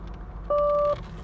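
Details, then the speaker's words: 1986 Nissan 300ZX (R31) solid-state digital voice warning system: a steady half-second electronic door-ajar chime over faint cabin hum, alongside the synthesized voice saying "left door is open, right door is open." "left door is open left door is open right door is open right door is open"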